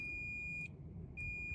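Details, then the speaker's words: 1990s John Deere F1142 mower, multimeter checking wiring harness with corroded connectors: steady high-pitched continuity beep drops out about half a second then returns; multimeter continuity beep. "And they didn't show any continuity. They just buzzed at me."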